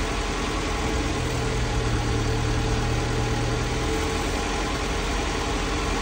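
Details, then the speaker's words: Mazda E1600 Bongo ute, just revived: fuel pump primed, started on choke, radiator low on water. Steady but slightly lumpy idle with a low rumble that holds only on choke. Owner thinks the idle screw needs adjusting. "all right that's a bit intriguing but it's running uh we'll just have a quick check in some things uh we might need some water this is the problem so it won't keep running without the choke"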